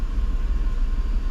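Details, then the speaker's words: 1997 Mercedes S500 W140, 228,000 miles, idling after restored original Bosch 143 A alternator and voltage regulator fitted, charging about 14.2 V; previously ran rough on low voltage. Smooth even low rumble, no stumble or misfire; normal idle. "sounds good too she was running so rough these cars are so very heavy dependent on electric"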